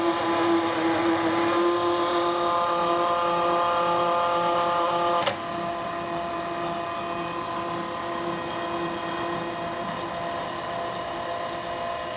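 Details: FlexArm tapping arm running a tap through a laser-cut hole; steady motor whine at constant pitch, no chatter or squeal, then clean tone change as the tap runs through; normal tapping.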